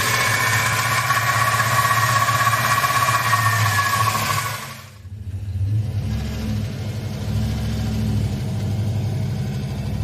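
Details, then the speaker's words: Chevelle with turbo 5.3 V8, warm, around 2,000 rpm at cruise or light load: fast, fairly steady rattle about three per second over the running note; runs fine with no power loss at wide open throttle, source not found. "it gets warm it's there and it's right around 2,000 RPM is it's under cruising or light load little bit of throttle"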